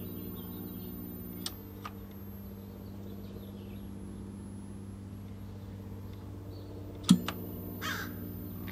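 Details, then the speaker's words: 1977 Sony KV-1541R Trinitron with no high voltage, running on a variac: faint, very thin high whistle that sags then climbs back in pitch over mains hum as the set is switched off, the horizontal output squealing. "actually when i turned it off i heard the squeal of the horizontal output so here we go i went up 10 volts on the variac"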